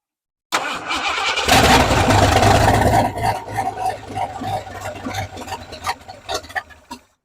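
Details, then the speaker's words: 1968 Ford F100 V8 after sitting over 5 years, new Holley carburetor, temporary boat fuel tank: steady starter churn, sputtering fades without catching; fuel lines were connected backwards, and once swapped it runs well. "Alright, so we had a mishap with the fuel line. I had an Andy moment and had them on backwards."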